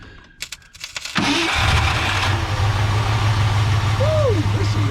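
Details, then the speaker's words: 1967/68 Ford F100 V8, sitting about 10 years; starter spins the engine over at a steady churning pace with no firing because the ignition switch was off; cranking no-start. "yeah it did with the old gas but we'll see what did we do don't seem like it's firing i might turn the switch off it ain't ever gonna fire where the switch turned off switch on or off it's on there good lord we were turning that thing over"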